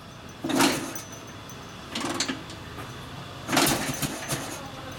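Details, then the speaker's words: 1942 Harley-Davidson WLA 45ci flathead after sitting a few years, carburetor mixture adjustment in question: separate cranking bursts with a brief catch or two that die away each time. It almost runs but won't start. "oh it almost ran"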